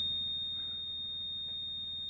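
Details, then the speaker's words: 1994 Subaru Impreza WRX barn find stored 16 years, cranking after a stuck starter was tapped free: steady high-pitched buzz over slow cranking from the oil pressure warning, with no oil pressure built; oil pump relief valve to be checked. "So, I want to get that oil pressure light out. Would be nice try to go out early enough that sucks. That's the oil pressure gauge that's doing that and making all that noise."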